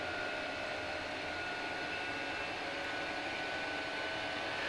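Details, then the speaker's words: Chinese diesel heater in garage, running normally after a faulty glow plug causing error code E-03 was replaced; steady, even combustion roar with constant fan whine, no pulsing or misfire, burning cleanly. "So it started up and seems to be working properly now."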